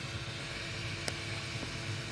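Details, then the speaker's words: HP Media Center m8000 started with an Athlon CPU and no memory: steady fan whoosh, one faint click, no beep codes and no display; dead motherboard suspected. "Here we go. Fans and everything come on. No display, no beep codes."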